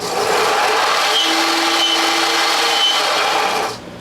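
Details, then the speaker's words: Craftsman belt sander after idler pulley repair, running at steady speed: faint scraping rasp and brief thin squeal; something rubbing, possibly touching the small disc, cause not confirmed. "something's rubbing I'll fix that"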